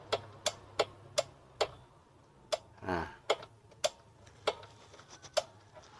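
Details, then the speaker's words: Yamaha Mio M3 125 scooter with a rough-running complaint, magneto cover off and the fan turned by hand: crisp clicks about three per second. The cam chain is slack from a failed tensioner. "Nah setelah saya buka hai hai Hai selesai buka magnetnya sini saya putar kipasnya Hai Nah ada suara ceklek ceklek gitu bro Nah"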